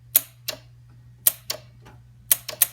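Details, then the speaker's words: 1999 Trans Am WS6, T56, with a new Intellitronix window switch whose closed circuit grounds the solenoid relay; crisp sharp single clicks, about eight in three seconds, over faint hum; relay and solenoids switching normally. "It's grounding my relay for my solenoids. So when I push this, you should hear the click."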